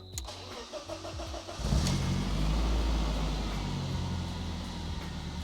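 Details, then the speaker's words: 1994 BMW E36 coupe after fuel pump/sender replacement for a dead fuel gauge, started in neutral: several slow cranking turns, then fires and settles into a deep, even idle with no misses; normal start, fuel pump works. "Well, fuel pump definitely works, so that's a plus."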